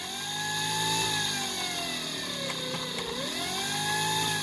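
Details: Razor Pocket Mod Euro electric scooter, motor not connected to the rear tire, twist throttle: a high buzzing whine sags briefly, then climbs and holds steady at full throttle. A healthy motor spinning freely, unloaded.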